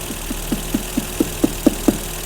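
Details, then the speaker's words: 1984 BMW E30 318i at idle, about 800 rpm in park dropping to about 600 in drive, then jumping back up: a tapping about four times a second swells louder; the fluctuation cause is unknown, with an electrical click noticed nearby. "and then right there see it jumps back up again so if something is causing the idle to fluctuate Up and Down based off parameter"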